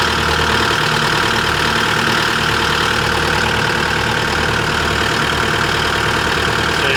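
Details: 2024 CAT 289D3 skid steer diesel after a crank-no-start fix: the water separator bowl had not seated after draining, so the bowl was replaced and the fuel primed. Steady, even idle with a smooth low rumble and no misses, knocks or hunting; running normally.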